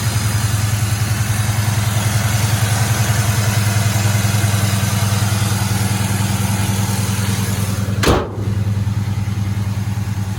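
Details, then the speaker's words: 1972 Chevrolet Chevelle, 350 small-block V8 with headers, Performer RPM aluminum intake, Holley 4-barrel, dual exhaust, 4L60 automatic overdrive: deep steady idle burble with one brief blip near the end; nice and smooth, healthy. "Let's go listen to the motor. Nice and smooth."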